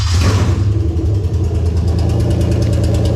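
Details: Lexus IS300 2001-2005 UK-harness 2JZ-GE VVT-i engine fitted to an IS200 with J160 six-speed manual and remapped ECU, first key start: brief crank, catches cleanly, settles into even steady idle, no misses or knocks; normal start and idle.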